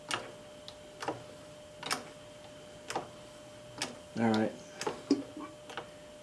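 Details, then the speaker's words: 1970s Sears model 328 hydraulic floor jack, made in Japan, after rebuild: crisp regular click about once a second per pump stroke with no grinding or hesitation; pumping normally. "yeah see now you just keep pumping it up get to the top you let it down and then you fill it again yeah and you pump it up again and you should be fine"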